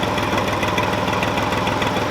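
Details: Old Ford diesel tractor, unidentified model, started after sitting about 10 years with an overfull crankcase. Fast, uneven idle clatter with a slightly lumpy beat, like a cylinder or two not pulling; rough idle, cause suspected, not confirmed.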